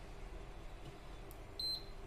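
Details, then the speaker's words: Induction cooktop under repair, with one coil wire disconnected and a series bulb fitted: a single short buzzer beep at switch-on, the fan stirs slightly and the bulb stays dark; only the IGBT is shorted, while the rectifier, SMPS and control are fine. "एक P करके buzzer sound आई है और ये fan भी थोड़ा सा rotate हुआ है। मैं फिर से आपको दिखा देता हूं, और सीरीज का बल्ब भी ग्लो नहीं हुआ है। इसका मतलब सिर्फ यहाँ पे इसकी आईजीबीटी शॉर्ट है, रेक्टिफायर वगैरह और इसका एसएमपीएस और कंट्रोल सब ठीक है।"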